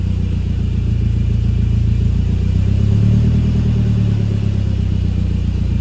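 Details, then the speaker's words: 1988 Saab 900 after sitting all summer, cold start after cleaning the MAF sensor: lumpy, uneven low rumble with wavering, hunting idle speed, maybe slightly better; owner unsure, possibly needs days to relearn. Rough cold idle. "It's not really any better. It's maybe a little bit better. One other thing I was recommended is that this might just take a couple days for the car to learn and kind of sort itself out."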